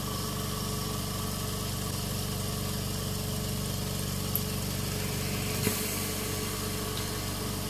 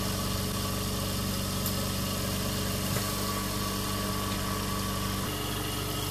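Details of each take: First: Invacare Perfecto oxygen concentrator with its cover removed: the compressor starts and runs with a steady low hum and an even pulse of about four beats a second, no knocks or rattles; normal running. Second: Invacare Perfecto oxygen concentrator, flow turned up: constant droning hum with an even buzzing rattle as the fan on top vibrates violently; it is turned off, pretty warm.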